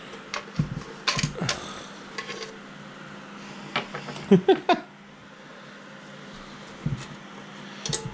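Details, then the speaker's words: Used Subaru WRX engine with the oil pan removed, turned over by hand: scattered metallic clinks and ringing rattles from loose broken piston pieces inside. The engine is judged junk. "But when we were pulling the pan, we noticed some ring-a-ding-dinging in there."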